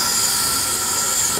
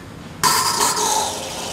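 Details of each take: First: Soda dispenser with carbonator unplugged or without power, possibly tripped GFI outlet: sharp steady gas hiss with no water gurgle, cutting off when released; only CO2 comes out. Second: Carbonator pump kicking on after restoring power (unit had been unplugged or its GFI outlet tripped, so soda button gave only CO2): sudden steady hiss and hum, no knocking or rattle; normal pump running, to cycle a few times to recarbonate.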